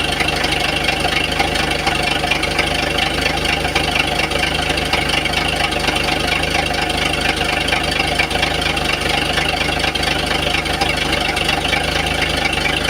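Idling engine with a light, fairly regular tapping riding over the hum, about two a second; a knock of unknown origin.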